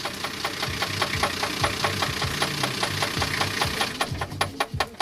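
Sharp, regular knocks about two and a half per second over the running engine point to a deep knock from the bottom end. Cause suspected, not confirmed.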